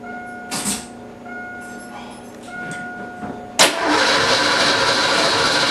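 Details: Fox-body Mustang first start attempt in 20 years after clutch safety switch bypass and smog pump belt fix: starter cranks at a steady pace with no catch or firing; spark later traced to bad cap and rotor.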